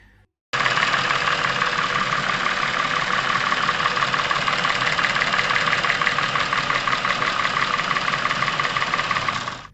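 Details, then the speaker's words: Chevrolet Epica engine past 200,000 km, top-end noise appeared suddenly, sometimes fading briefly: fast, even ticking about three a second over steady idle; hydraulic lifters tapping and camshafts noisy from cylinder head oil starvation. "понятно что головка блока цилиндров периодически находится в состоянии масляного голодания о чем говорили внезапно стучащие гидрокомпенсаторы и шумящие распредвалы иногда неприятный звук мог пропадать но ненадолго"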